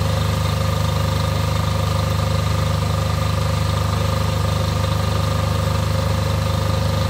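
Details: Off-grid diesel generator after service for fuel problems and cutting out, test run before load: deep steady drone, even beat, no stumbles; lumpiness seems cured, running cleanly at idle.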